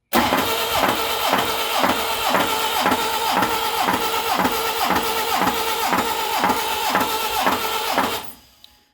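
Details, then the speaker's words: 1959 Mercedes 190SL, rebuilt engine about 6,700 miles, good oil pressure, cranking on the starter with only plug 4 fitted: one sharp steady knock about twice a second; knock follows installed plugs, rod bearings doubted, starter or flywheel suspected. "now we're going to crank the engine with just one plugin and it it'll sound like uh like there is a a rod knock and not four Rod knocks"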